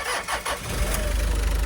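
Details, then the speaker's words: Mitsubishi Delica Starwagon cold start on a cold day: brief cranking, fires straight away and settles into an even low idle with no knocks or stumbles; healthy, though a belt squeal was noted. "Starts up right away. Sounds healthy. Pretty cold out today, too."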